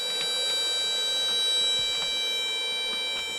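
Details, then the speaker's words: Ryobi fast charger: its cooling fan holds a steady high-pitched whine at one pitch, pretty loud. Owner unsure whether this is the manual's "slight hum" or a problem with the unit. "So, something I want to point out about the fast charger. It does have a fan in there, and it whines pretty loud."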